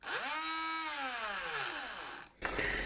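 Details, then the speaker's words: Car air compressor that runs but does not pump: high motor whine spinning freely with no pumping beat, then winding down; connecting rod found broken; broken compressor connecting rod. "ну и конечно сам раскатывает что-то"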